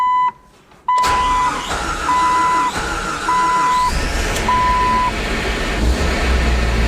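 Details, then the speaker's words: Jeep Wrangler TJ: a door chime over long labouring cranking before the engine catches; owner attributes it to fuel draining back through a fuel pump assembly valve, since priming the pump with the key first makes it start faster. "So this is just how long it takes to start"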